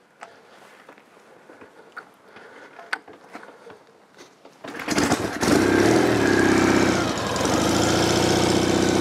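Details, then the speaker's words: 1973 Norton Commando 850 Mk2 (828cc) twin, recommissioned non-runner, carbs flooded with no choke; starts on one kick and settles into a smooth, steady, even idle, no knocks or misses. "one kick very smooth engine"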